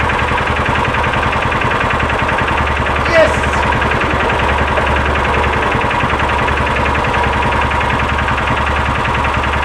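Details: 2000 John Deere 4X2 Gator after ignition coil replacement, running after a warm restart following a ride: small petrol engine steady and even, no sputter or stalling. Normal running; a bad coil looks to have been the problem.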